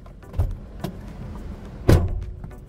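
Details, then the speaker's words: 2012 Toyota Hilux pickup, post-purchase inspection: two heavy, dull, hollow door slams about 1.5 seconds apart with a rattly tail; the door shuts badly, an abnormal door closing sound and a sign not to buy. "assim não compre essa porta escuta essa porta Olha"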